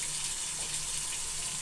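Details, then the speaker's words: Bathroom sink drain running after cleaning the stinky drain and reassembling the tailpipe; steady hiss of water with no gurgling or backing up, draining freely. "Running real good."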